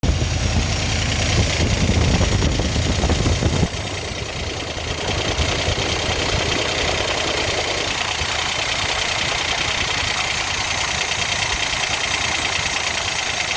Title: 66 Engine Knock